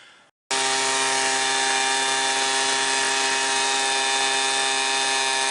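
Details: Homelite 26B Mighty Lite two-stroke blower with a new carburetor: a high, steady buzzing scream held flat at wide open throttle with no surging. It runs clean and strong.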